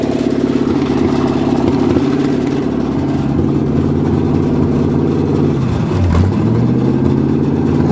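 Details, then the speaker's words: Cheviac (Chevy) demolition-derby car, start after fuel-line work at 2 degrees above zero: rough idle with fast light ticking scrape as fan blades hit the plastic radiator shroud, bent from demo derbies; two fouled plugs later replaced. "Is hitting the plastic radiator shroud, so that's what's wrong, making all the noise. Too many demo derbies."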